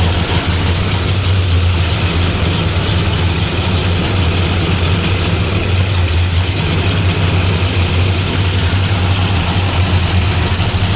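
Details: 1975 Plymouth Roadrunner first start after sitting about 20 years, running on battery: loud deep drone at steady speed with coarse, uneven note; running rough, owners think it sounds lean.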